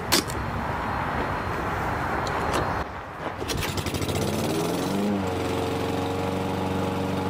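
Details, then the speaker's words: Toro Recycler 22" walk-behind mower after a carbon-fouled spark plug was cleaned: a few sharp rattles as it catches, then a steady, even single-cylinder drone holding speed without surging; dirty plug believed the cause. "well it was just a spark plug then because that thing runs perfect now just a dirty spark plug was all that that that needed"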